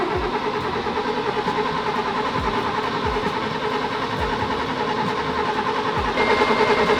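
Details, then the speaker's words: 1966 Mercedes 220S, sitting 25 years, carburettor fed from a bottle by an electric pump: the starter churns about three times a second with no firing. Crank, no start from no spark due to damp plugs; it started after the plugs and connectors were dried. "它不会产生火花，这是肯定的。怀疑火花塞失败后，我们开始把它们拿出来，以便能够看到它们全都发出火花。"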